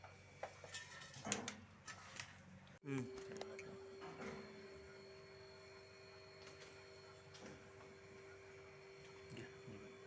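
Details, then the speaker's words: Godrej single-door fridge after freezer box replacement and R600a gas charging, compressor drawing up to 0.9 amps: handling knocks, then quiet steady hum with faint refrigerant hiss in freezer; compressor even, cooling normally. "பாருங்கள், ஃப்ரீசரில் வந்து sound நல்லா கேட்கும், case circulation ஆகிற sound கேட்கும். So உங்களுக்கு நல்லா கேட்கும்னு நினைக்கிறேன் கேஸ் சர்க்குலேஷன் சவுண்டு."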